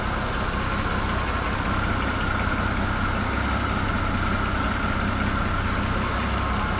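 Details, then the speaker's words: Holden HG Premier engine, put back together after sitting over 20 years unregistered, still burning through old fuel, started with no throttle after a couple squirts: smooth settled idle, even low drone, no stumbles, ticks or knocks. "So we'll fire it up and you'll hear this thing, no throttle. See if it fires up with no fuel."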